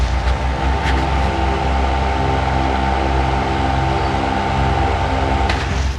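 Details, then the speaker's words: Sekai HFN 1210 industrial fan on speed 3: loudness comes from the airflow, not the motor, which is fairly quiet; even rushing air with steady low hum, no rattle, ticking or grinding; normal running. "Oke, ini untuk kipas nomor 3, bunyinya kencengnya bukan dari motornya ya, tapi dari hembusan anginnya. Jadi ini cukup senyap motornya, tapi yang kenceng adalah hembusan si kipasnya."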